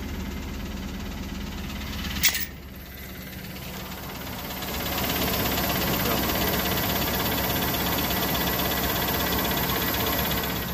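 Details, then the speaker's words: Used high-mileage 5.3 LS V8 truck, two-wheel drive, cold start after two weeks sitting, good oil pressure: fires right up, quick even ticking over the exhaust at idle; owner also suspects bottom-end knock; engine tap at cold idle, cause unconfirmed. "This is a cold start for it because I haven't started it in about 2 weeks. Fires right up. This sounds like it's got a tap."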